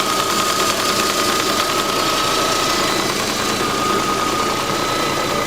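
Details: Petrol engine at steady idle with light, quick ticking at about three a second from the EVAP canister purge valve clicking.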